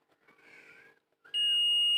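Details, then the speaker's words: Ahuja 250 W amplifier with water damage: the continuity buzzer beeps steadily on one power transistor whichever way the probes are placed, while the others stay silent; that transistor is shorted and was replaced. "இது வந்து பசர் sound வரும். இது எப்படி வச்சாலும் வரும். அதே மாதிரி இதுக்கு வச்சா வராது. இதுக்கு வச்சாலையும் வராது. இதுக்கு வச்சாலையும் வராது. இது என்ன ஃபால்ட் ஆகும்னு பார்த்தீங்கன்னா, இதை ஷார்ட்டாக வந்து இது ஒன்று மட்டும் போயிடும்."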